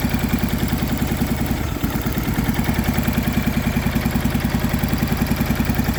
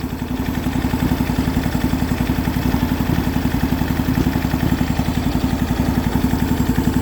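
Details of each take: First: MTD Yardman two-cylinder riding tractor, first start in years, valves just adjusted, new starter, choked, old gas: choppy, lumpy putter at three to four beats a second with dull clatter; one spark plug wire was left disconnected, so only one cylinder was firing. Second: MTD Yardman twin-cylinder tractor, first start in years after a valve adjustment and new starter, on 1–2-year-old fuel, with the missing spark plug wire reconnected: an even, steady idle putter of about four pulses a second with no misses. Both cylinders fire normally.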